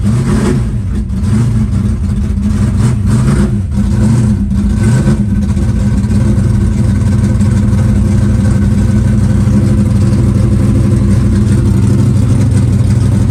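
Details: Green Chevelle just cold-started at about 20°F in snow, static compression just under 14:1: a deep, lumpy V8 idle settling steady with an even low rumble and no knock or misfire; idling fine cold without choke.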